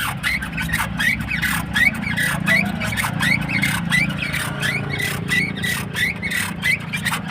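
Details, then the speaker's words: Maruti Suzuki Ertiga petrol, left front strut (fitted a few months ago) rotated by hand with the link rod removed: short rising squeaks about once a second from the damaged top mount bearing; noise occurred when steering, not the steering rack. "दो ही चीज हो सकती है या तो य steering रक है इसकी मूवमेंट हो रही है ठीक है या फिर सोकर का जो ऊपर का बेरिंग होता है"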